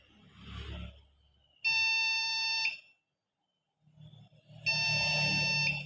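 Two long, shrill beeps of about a second each with pauses between them, a repeating power-on alarm from the board. Cause suspected, not confirmed.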